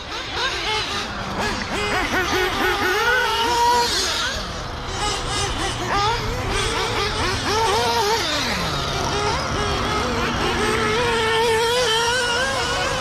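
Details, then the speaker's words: Rebuilt FX K302 nitro RC engine breaking in on Worlds Blend V2 fuel, hot day at the track: high-pitched engine revving up and down, soft and blubbery, not crisp; carb still set rich, idle a little high, adjustments next. "all right she's still rich all right [Music] all right she's still rich idol's up a little high"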